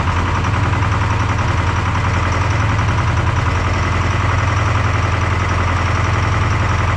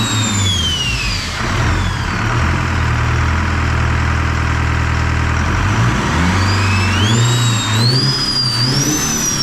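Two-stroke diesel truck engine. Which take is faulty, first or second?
first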